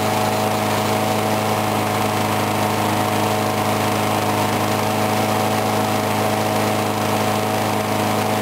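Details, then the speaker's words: Briggs & Stratton single-cylinder mower engine cold-started at 35°F after long sitting, water suspected in the gas; started first pull. Steady, even buzz with no misses or surging; normal running. "Anyway, I was surprised it started up on that first pull, because it's been sitting for like ever, and there's water in the gas"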